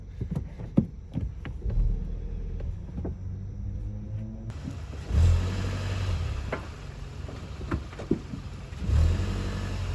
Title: Brakes Clunking After Brake Job | Brand New Brake Pads Clunk/Knocking Sound